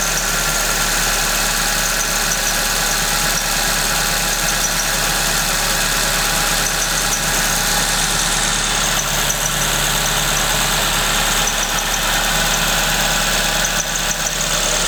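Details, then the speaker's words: Suzuki ZC31S with supercharger, at idle: thin continuous high squeak, unchanged in pitch, from the supercharger main pulley V-belt; engine otherwise sounds fine. "noise-nya dari supercharger ya. Dia lagi call idle sekarang. Dari ini, dari main pulley-nya."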